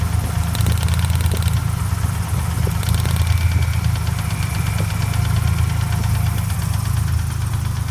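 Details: Ford Ranger 4.0 OHV after being hydrolocked: steady low idle with a faint, even tapping in time with the engine; suspected rod knock, not confirmed.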